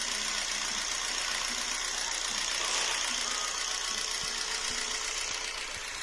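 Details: Jeep Renegade 1.4 L MultiAir2 turbo I4 with the warning light on and codes P0300, P0303, P0304 and P0353, before repair: a lumpy idle stumbling about every half second; number 3 dead, no burn time on the scope, wet plug.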